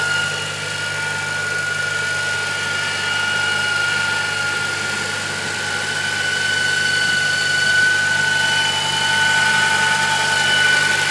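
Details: 2007 Honda Civic Si, just over 67,000 miles, cold engine, parked idling: steady metallic rattle and whine under the hood, about four beats a second; stops when the clutch is pressed and continues when revved.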